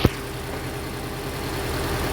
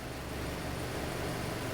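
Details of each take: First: Hyundai Elantra with manual clutch, codes P0267 and cylinder 3 misfire: uneven, lumpy idle with a stumbling pulse. Injector 3 is not firing and the O2 sensor reads lean; a loose injector connector is suspected. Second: Hyundai Elantra petrol engine idling smoothly after a P0267/cylinder 3 misfire was traced to a disconnected connector and the codes were cleared, with normal fuel trim and oxygen sensor readings: a steady hum with no stumble.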